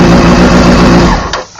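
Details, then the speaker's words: 2001 Honda CBR600 F4i idling when bank angle sensor behind nose fairing is turned upside down: steady idle stops abruptly and goes quiet; engine cut-out from tipped bank angle sensor. "Instantly, bike shut off. Turn it back over. It won't start, right?"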